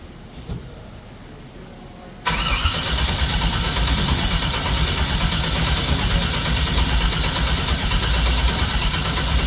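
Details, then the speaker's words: 1964 GMC truck with Holley fuel injection after rewiring, fuel pump relay in: fast steady cranking churn for several seconds with only a little pop, seemingly from driver side bank; cranks but won't start. "why is it not [Music] working it's like the same thing just gives a little pop yeah H and it still sounds like that pop is coming out of the driver side Bank"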